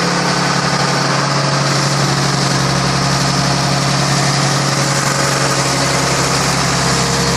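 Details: Rebuilt 1933 Chevrolet straight-six (5.6:1 compression, 74 hp @ 3200 rpm), first run in over 60 years after priming and choking: smooth, steady, even low idle with no knocks or misses. Normal idle.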